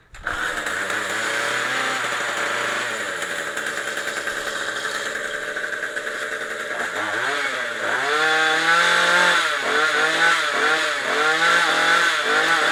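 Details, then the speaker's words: Craftsman Speed Start trimmer power head, after carburetor replacement with a leaking fuel line not yet replaced: the two-stroke fires at once, holds a steady buzzing idle, then revs up and down cleanly without bogging. It runs properly. "all right awesome so it works great I am going to change this fuel line right now though"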